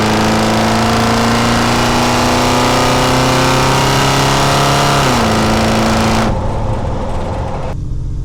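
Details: 1977 Ford truck petrol engine accelerating smoothly, tone climbing evenly with no stumble or popping; the truck had misfired only under acceleration from a failing ignition coil.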